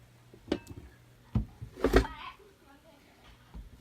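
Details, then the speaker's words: Mid-90s Eden World Tour 800 bass amplifier head, arrived in a bent road case by post, bent rack ears: a few heavy irregular clunks as the unit is moved, a solid mass knocking inside the chassis; owner suspects a loose transformer. "It sounds like it's in this area over here. I wonder if it's a transformer."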